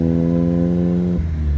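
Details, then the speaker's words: 1961 Triumph TR3 on a road test, pulling up a hill, then a change into second gear: steady engine pull with no whine rising over it; the gearbox sounds quiet and good. "box is good no winding noise it's quiet there"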